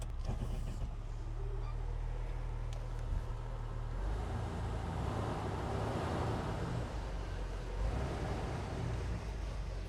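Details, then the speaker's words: Jeep Wrangler on jack stands shifted into four-low: a low, steady drivetrain drone with the engine pulling evenly and no clunks or grinding. Four-low engages and turns normally. "yes probably sketchy getting out of this yeah don't ever get out of your car and do this yeah all right it's all good ah that is great news"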